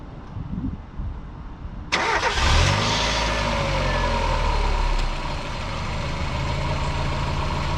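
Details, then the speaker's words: Mk1 NA Mazda MX5 with the standard 1.6 engine: cranks, catches cleanly, then a steady idle with a faint puffing tick. This is a slight exhaust manifold blow the owner noticed over the last few days of driving. "There is a slight blow from the manifold, which I have noticed over the last few days driving it."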